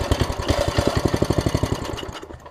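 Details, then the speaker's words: Small engine, full tank of gas: fires on starter fluid with quick pops for about two seconds, then dies; owner suspects a bad carburetor diaphragm. "yeah so that's great kick right over which is awesome yeah that's just a diaphragm so that's that'll work"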